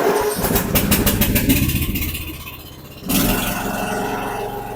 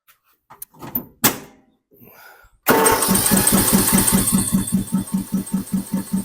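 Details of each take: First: Snapper 150Z zero-turn mower, 21 hp with a 42-inch cut, after fuel line and fuel pump work: it cranks for several seconds, then starts without carb cleaner and runs steadily. It works like new. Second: Snapper 150Z zero-turn mower, 21 hp engine, full throttle and full choke: even starter cranking about two and a half pulses a second for several seconds without firing; no start, traced to a broken choke shaft.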